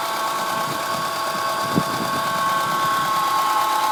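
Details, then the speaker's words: Acura RSX, runs and drives well, at idle just after start-up: steady high whine over a smooth idle, holding pitch; owner suspects power steering, source not confirmed. "Just start it up. It makes a little winding noise. I don't know what it is. Maybe somebody can help. My first guess would be the power steering, but I don't know much about Hondas."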